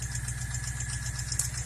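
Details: 2014 Ford Mustang GT 5.0 Coyote V8 idling with a light, quick ticking on top, from a rocker roller follower worn flat; the lifter and rocker were replaced.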